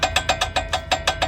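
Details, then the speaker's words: Volkswagen rear brakes, missing shim that holds the pads: rapid, even metallic ticks about seven a second with a ringing edge from loose rear pads rattling, worst over bumps; fixed by installing the shim. "este es el problema que trae cuando nos trae esta parte está la mini es la que ajusta la breca y ahí podemos ver ahorita está sin la lámina"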